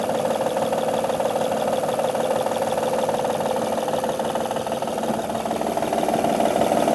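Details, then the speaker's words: 2005–2010 Honda Odyssey 3.5L, top cover off: steady idle with an intermittent, fast, slightly uneven ticking knock; the belt surface is scuffed, a failing belt tensioner is strongly suspected. "So the noise is still there. Looking at the belt, and the surface of the belt is kind of scuffed. It's a big possibility that the tensioner is failing."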